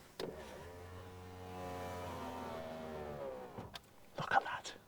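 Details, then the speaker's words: Renault 5 Gordini Turbo electric window raised with engine off: steady motor hum, pitch gently falling, a bit slower and laboured going up, clunk at the stop; normal electric window operation. "lovely bit slower going up without the engine running but that's a very similar noise to a highly engineered Rolls-Royce Silver Shadow window mechanism from the same era"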